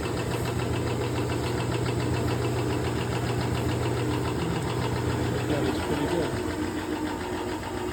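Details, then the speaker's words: General 340 floor drill press after refitting the pulley, belt and a longer bolt where it was chipped, tested with the belt guard on: steady low even hum, belt-guard rattle much better. "Stop the vibration. I think that loose guard was now a test with the belt guard on. much better."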